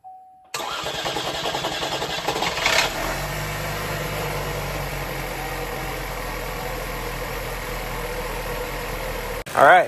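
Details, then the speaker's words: 2016 Chevy Malibu 1.5T first start after head gasket replacement for oil leaking from head oil passages; quick crank, brief rev flare, then smooth steady idle with no ticking or knocking. "right, well, it's running. I'm gonna let it come up to temp, monitor coolant level, make sure it doesn't run low, and yeah, there we go."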